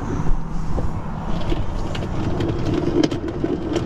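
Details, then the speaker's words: Chevrolet Volt electric car, window not working: door motor whirs with irregular clicks and rattles as regulator cables ravel and unravel, glass stays put; motor, switch and wiring fine, regulator coming apart, likely broken plastic pulleys. "That's the power window regulator. It's coming apart inside the door, probably plastic pulleys and stuff that broke."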